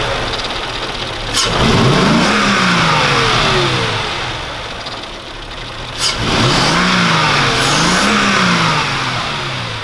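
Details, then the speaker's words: Mercedes CL 500 V8 with LPG, after replacing cheap Wish spark plugs with proper plugs: two clean throttle blips, each rising smoothly and settling to a steady idle with no stutter or misfire, engine light off. "kein stottern gar nichts aber es leuchte breno nie mehr also motor läuft jetzt einwandfrei also lag es echt ist achtet mal wie schön also kein zittern nichts"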